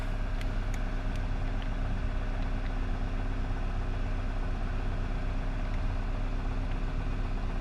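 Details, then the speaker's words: 2009 Nissan Versa 1.8L SL, cold engine with high idle, after replacing a failed coil pack on cylinder 4 that caused misfire, shaking, stuttering and surging; now a steady, even idle with no missing or stumbles. "seems to be not missing anymore. Idle's high right now because the car's still cold."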